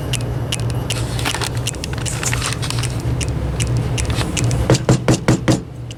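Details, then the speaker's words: Old IDE hard drive powered on gives the click of death, sharp uneven clicking over a steady furnace hum; the drive does not work and will be physically destroyed. "Now we got the click of death here."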